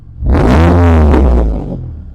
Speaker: I mean, it sounds pretty nice. You can shut it off.